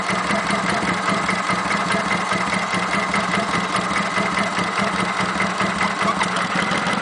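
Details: Kawasaki Vulcan 900 at idle: a light, quick ticking about two or three a second. Present since 1,000 miles and common to every VN900; normal valvetrain noise, no problem.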